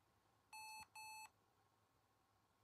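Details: Lenovo laptop at power-on: two short, clear high beeps over a quiet room; fan error warning from a stiff 5V fan with dust build-up and dried-out shaft lubricant.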